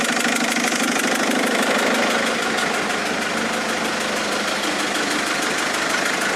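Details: Mercedes A170 diesel after changing 3 injectors: busy clattering idle with a fast, fairly even tapping over the engine note; knocking at idle, cause not yet known.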